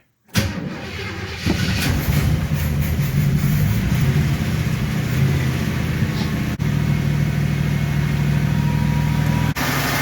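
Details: V8 restarted after pouring more fuel into the freshly rebuilt Quadrajet bowl, battery still charging; fires right up and settles to a fast steady drone well above normal idle, idle set too high.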